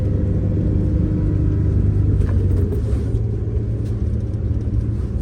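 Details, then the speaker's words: MCI 9 coach after new wheel bearings, king pins and air bags, recorded up front while driving: deep, even road rumble with no clunks or bearing whine. Power steering is still slightly whiny from air in the system. Normal driving. "okay how quiet it is up here very quiet"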